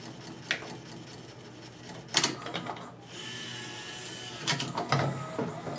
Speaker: It's literally hitting the end-stop on its travel like banging its head against the wall.